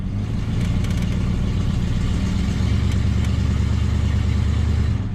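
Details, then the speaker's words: 1973 Dodge Dart Sport 318 V8 after fixing a misfire caused by a leaking brake booster: in gear at low idle, then a little throttle; deep even rumble with no stumble, running smooth, carburetor still needs slight tuning. "see it is smooth [Music] that is a nice smooth running 318."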